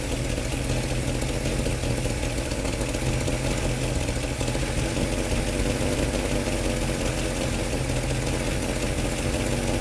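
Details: Engine idling evenly under a loud, rushing hiss with a rapid puffing edge; exhaust gases suspected to be leaking at the flange or seal where the manifold meets the pipe, not confirmed.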